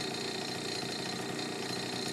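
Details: Honda Urban Express NU50 scooter after the exhaust-to-cylinder connection was tightened, now much quieter: steady, even two-stroke buzz with no misses, surging or exhaust-leak puffing. Normal idle.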